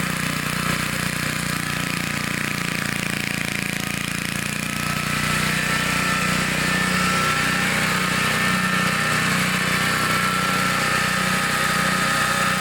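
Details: 1960s Bolens 28-inch Lawn Keeper mower, carburetor never adjusted, untouched at least 15 years, cutting grass set low: steady, even single-cylinder drone holding speed, no misses or knocks; runs good, normal running under load.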